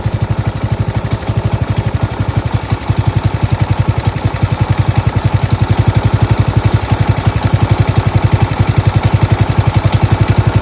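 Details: Four-wheel-steering lawn tractor "Rodimus Prime" with Nikki carburetor, after carburetor and fuel line replacement and ground fix: even, steady single-cylinder thumping for ten seconds with no misses or surging; normal idle.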